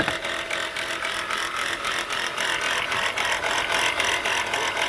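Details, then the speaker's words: Engine running, noise under the engine area: fast metallic rattle and gritty grinding from the engine bay; alternator pulley visibly bouncing with brown residue around it, alternator bearing judged shot: alternator bearing failure. "From the looks of this and the sound of this, look like the alternator bearing is shot."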